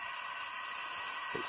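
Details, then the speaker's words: Class 50 locomotive EP (electro-pneumatic) valve, English Electric/GEC, on test de-energized with air supply on: constant high-pitched hiss as air leaks past, gauges already moving; faulty valve with compressed air leak. "so if i turn on the supply that's not good news because i can hear it leaking past already and you can see there but it's on the gauges it's already moved"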